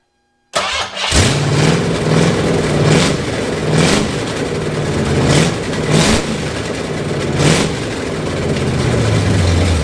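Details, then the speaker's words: Foxbody 5.0 V8 swap, first start after the fix, with throttle blips. It catches cleanly, idles evenly, and revs rise and fall sharply and regularly; running is normal. O2 sensors and timing are still to be done. "sweet some o2 some timing minor details yeah success stuff sweet"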